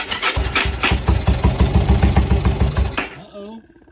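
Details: Long-stored motorcycle, project bike with gummed-up fuel system, cranked with gas poured in by hand: cranking thumps at about three per second, then it catches with a short burst and dies within half a second. Fires briefly then stalls; cause suspected, not confirmed.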